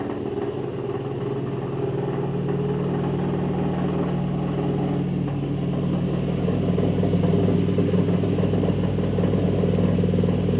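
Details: Telefunken (Vestel) washing machine on spin cycle: deep, steady rumble with a faint rhythmic pulse, noticeably louder than a normal spin.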